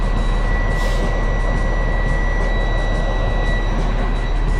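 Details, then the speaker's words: Heavy-equipment diesel idling after brake air was drained: steady high-pitched beeping low air pressure warning while air builds back toward 100 psi, testing brake system build-up time. "you can hear that audible beeping sound. I just want to see if it, how long it takes to build air pressure."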